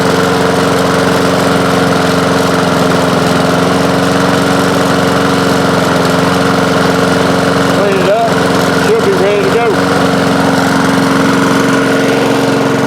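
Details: Honda lawn mower just after the carburetor was refitted (it had too many gaskets): small engine holds a steady, even drone at constant speed with no misses or surging; running cleanly.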